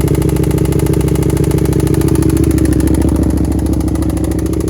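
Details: Stolen-recovered 1st-gen carb Suzuki SV650 V-twin after rear tensioner adjustment: lumpy, stumbling idle with a steady low knock about three times a second, struggling to stay running. It barely starts now; owner suspects over-revving damaged the engine and plans a full bottom-to-top rebuild.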